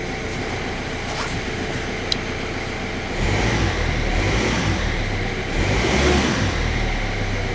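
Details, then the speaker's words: Stolen-recovered Kia Rio bought at auction without keys, first start on a newly coded key on a freezing day: steady idle, then two clean revs dropping back smoothly with no knocks or rattles; sounds brand new. "sounds like it's brand new it sounds like it's brand new this thing what a cracking little car wow"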